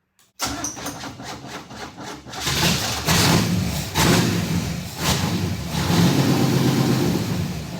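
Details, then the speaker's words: Kyle Petty No. 44 race car V8 with a new ignition and a water pump fix: a few cranking clicks, then a deep, steady, even idle with no misses or knocks; sounds 100% better than before. "that sounds 100% better but still sounds like a dead stock 350"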